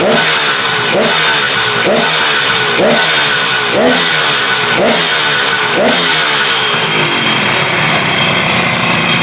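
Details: KH250 three-cylinder two-stroke motorcycle revived after 32 years in storage, now fully restored. Crisp blips up and back about once a second, picking up cleanly and settling without stumbling; running healthy.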